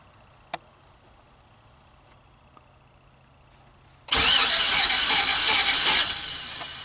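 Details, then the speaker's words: 2015 Chevy Express 4.8L after right-side lifter replacement, camshaft not replaced: cranking with no compression, starter spinning fast and evenly without chuffs, never catches; scan tool shows camshaft position counts but no cam actuation; catastrophic failure, location unknown. "I'm getting a camshaft position counter, but I'm getting no camshaft actuating. Well, folks, that there is a catastrophic failure."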